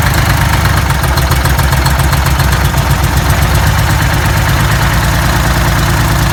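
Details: Detroit Diesel 6V92TA two-stroke on test run after Jake brakes were added, valve cover still off, started after priming with the shutoff held at no-fuel: deep, busy idle with a steady, even clatter and no misfire or knock; normal idle.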